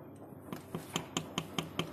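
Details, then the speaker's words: MP engine (oil consumption diagnosis, disassembled) connecting rod rocked by hand: sharp metallic clicks about five per second from big-end free play; said to knock "deg deg deg" at low rpm and tick at mid rpm near crankcase; connecting rod play. "Bro, ini stangnya bunyi. Kena ini. Jadi kalau di RPM bawah dia terdengar suara deg deg deg deg deg deg deg deg gitu."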